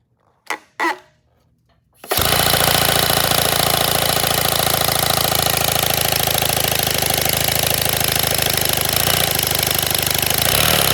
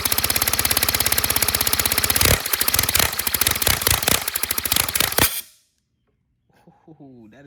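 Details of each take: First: 3D-printed 157cc inline twin compressed-air engine, redesigned, first test runs: rapid harsh clattering beats about three a second after a couple of puffs; rough running, owner suspects overheating, cause unconfirmed. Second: Redesigned 157cc inline twin compressed-air engine, 3D printed, second run: fast, even exhaust puffs, then loosening pulses before it stops; normal, smooth running.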